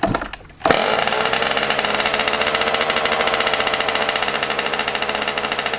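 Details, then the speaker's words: Yamaha YZ125 two-stroke, cold start around 20 degrees, before air screw and idle adjustment: a fast, slightly uneven crackling idle with a raspy edge, running off-tune. "today we're going to be fixing my yz125 because she's running a little red you feel me i got to play with the carburetor the air screwed idol so we're going to be doing that today"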